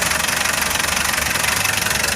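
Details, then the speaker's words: Foton Traveller CRDI diesel after clearing fault codes P0088 and P0254: steady, even idle clatter with a regular beat and no heavy hammering knock; the previous knocking is gone. "Hindi na, wala na siyang knock."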